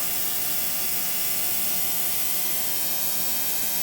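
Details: Ultrasonic cleaner (digital, heated, 60-minute cycle) cleaning a wood mill engine carburetor: steady high-pitched electrical buzz, constant tone, no variation; normal operation.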